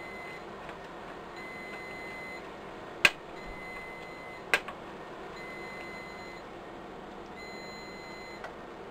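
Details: Riello DVD 2200 2U UPS: faint, high, short beeps repeat over quiet room hum, warning that its batteries have failed and need replacing (96 V battery pack).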